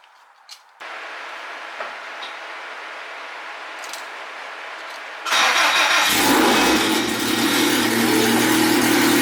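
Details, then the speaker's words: Race car just after a freshly rebuilt cylinder head (new valves, valve seals, keepers, valves adjusted): quick crank, catches at once, then a steady, even idle with no ticks or knocks; healthy motor, normal start-up and idle. "Starts right up. we think, Alan? It ain't a Subaru, but it's pretty good. Yeah, right. Yeah, I think it sounds good, right? Yeah, it's pretty good. Healthy motor."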